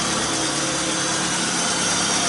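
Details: 2012 Fiat Uno Fire, check engine light on, high fuel use, owner says sounds like a V8: uneven, stumbling, ragged hissy idle with no steady rhythm, manifold pressure and engine load above limits; engine timing out.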